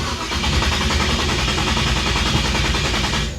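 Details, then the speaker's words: 1966 Chevy Impala after stalling on test drive: steady cranking several seconds, never catches; no spark, owner suspects non-zip-tied ignition feed wire kicked off the fuse block; gas in the bowls. "It's like we got no spark. I'll bet I know what it is. How much you want to bet? My wire under here. I didn't zip tie it."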